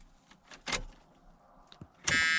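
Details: Long-sitting Dodge Diplomat, key on: a couple of quiet clicks, then a steady high-pitched buzz with the oil light and fasten-seat-belt warning on; seat belt warning buzzer.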